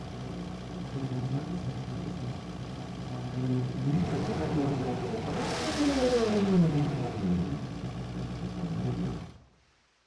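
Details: 1995 Sea Ray Sea Rayder Sportjet with a 120 hp two-stroke vertical engine (120XR) driving a jet pump, after spark and timing repairs and a new stator: runs steadily, revs up and down cleanly, then shuts off; normal running, heavy smoke.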